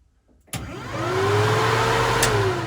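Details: Newly installed budget DIY heater blower in a 1936 Chevy Coupe hot rod, first power-on test with ignition on: a click, then a smooth whirring hum rises to a steady pitch, holds evenly and winds down; fan runs normally.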